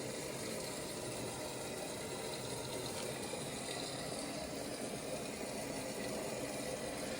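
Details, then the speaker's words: Whirlpool Duet washer WFW9450WW00, about 15 years old, after door lock latch repair for error F15, quick cycle with 15 minutes left: quiet steady hum, draining and refilling, water sloshing, no grinding or error codes; normal wash cycle. "I hear it draining. Actually putting more water in there. No error codes yet. It's a quick cycle."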